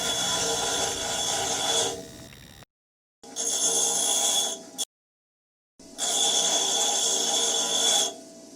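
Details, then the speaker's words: Maruti Suzuki Ritz, about 9,000 km over five or six years: harsh metallic scraping with high squeal when braking, disc brake pad friction lining worn away so the pad's metal backing rubs the disc; pads replaced. "वह basically एक metal का base होता है जिसके ऊपर एक क्षण material की लाइन होती है कि मुझे प्लानिंग गिर जाती है तो बैड का मेटल और डिस्ट्रीब्यूटर का मेडल वापस में खेलना शुरू हो जाता है"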